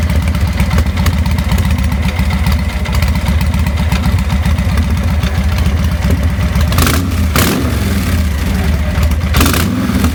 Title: Rough Idle & Stall- 2000 Victory V92sc